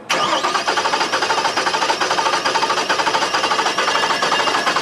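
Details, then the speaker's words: Cranking: fast starter cranking whose rhythm stumbles, one lighter beat each cycle, from a single cylinder with no compression, versus a good-compression engine — compression misfire. "Okay, so you hear that the difference between good compression engine and one with a single cylinder with no compression."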